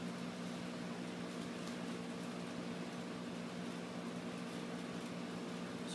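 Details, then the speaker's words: Old refrigerator compressor converted to a vacuum pump, pulling vacuum on a gas measuring cylinder: a quiet, steady, single-pitch hum with no rattles or knocking; it runs smoothly. "So now we're going to plug the compressor in, and it should pull a vacuum on our cylinder. Yeah, you can hear it running."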